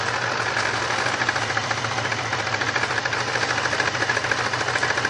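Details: 1999 Grand Prix SC 3.8 misfiring with a bad ignition coil on cylinders 1-4: uneven, stumbling idle with a regular missing beat, about three per second.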